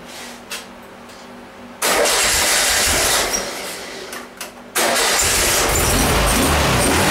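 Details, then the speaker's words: VW Type 1 engine on a stand, cold start right after a valve adjustment and new rocker covers, checking for leaks: cranks briefly, catches cleanly and runs steadily with no valvetrain clatter; healthy. "Let's uh this going to be a cold start we'll go ahead and uh fire it up here"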